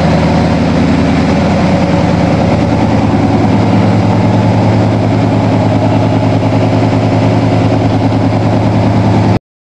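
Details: 1987 Toyota Supra MKIII with swapped Chevrolet 350 Vortec V8 and 700R4, restarted after rebuild with valve lash reset; exhaust loose on manifolds, unwelded. Steady low burble, regular beat, no misses, pops or knocks: normal V8 idle.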